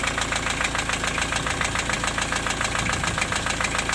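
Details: Diesel at idle after valve adjustment; the knock comes and goes, hot or cold, and seems slightly quieter. A steady hard knock repeats evenly: piston slap.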